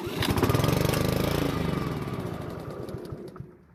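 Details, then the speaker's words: Honda lawn mower stored over winter, old fuel drained and fresh gas added: it fires and runs unevenly for a couple of seconds, then chugs down and dies. Starts then stalls from fuel starvation, traced to a clogged carburetor main jet. "unfortunately it ran but died soon after so that means we have a carburetor problem"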